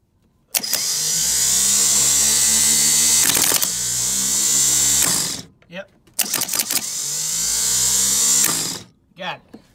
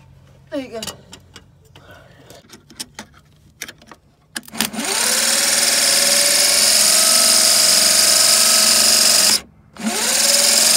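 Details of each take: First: '65 Chevy C10 starter bench-tested off the truck after re-rebuilding it with the forks corrected: two bursts of high, even whirring that spool up and wind down smoothly, so the starter spins freely and sounds healthy. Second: '65 Chevy C10 with rebuilt starter: twice whirs to a high steady whine with no cranking. The pinion is not fully engaging the flywheel, and the owner thinks the forks were fitted wrong in the rebuild.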